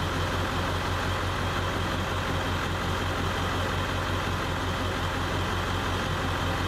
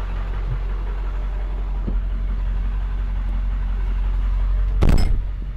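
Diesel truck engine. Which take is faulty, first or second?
first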